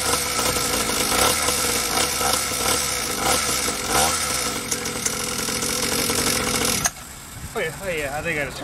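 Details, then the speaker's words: SYX Moto small two-stroke dirt bike, carburetor leaking fuel, possibly flooded after choke; ragged uneven buzz sputtering irregularly, then cutting out completely. Rough running and stalling; idle suspected to need turning up, possibly bad fuel mix. "idol up yeah i would think so hotel yeah it's not staying on exactly"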